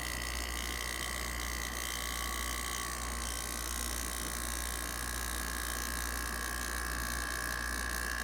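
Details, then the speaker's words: 1989 Panasonic 5000 BTU slide-out window air conditioner, out of its chassis: rotary compressor's first run since last year gives a steady, even hum with a constant high hiss and no knocking or rattling. Normal compressor running. "I think you should click on me will get the compressor to fire up this is the first time the compressors been run since last year"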